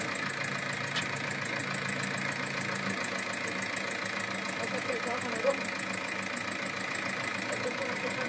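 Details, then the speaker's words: Seat Altea 1.9 TDI 105 hp diesel at idle, 175,000 km, run on oil more viscous than specified and off-spec; light quick ticking clatter over quiet idle: worn hydraulic tappets and camshaft lobes, one lobe worn away. "féach , feiceann tú conas a fhuaimeann sé gan ach 175 míle ciliméadar fíor, feicfidh tú níos déanaí cén fáth go bhfuaimeann sé mar sin,"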